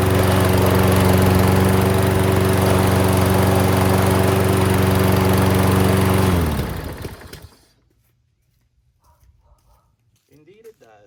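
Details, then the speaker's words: Self-propelled lawn mower, oil looks clean, restarted to test the self-propel, which works: even, steady drone with no stumbles for about six seconds, then a clean shutdown. Normal running. "But it's a good runner already. I haven't even tested the self-propel yet on it."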